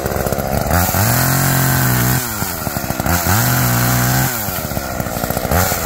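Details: Tuned-up Homelite two-stroke chainsaw cutting wood: high scream bogs in the cut and revs back cleanly about every two seconds, no misfires; owner notes it seems to run a little rich, bogging in larger logs; running under load.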